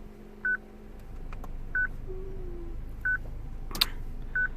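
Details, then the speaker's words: 2006 Citroen C3 petrol, replacement radio from another car not coded to this car's VIN: short single beeps about every 1.3 seconds in a quiet cabin, radio security lockout. "So the reason, guys, this beep happens and the way the sort of security system works on these radios, for you guys that doesn't know, let me show you."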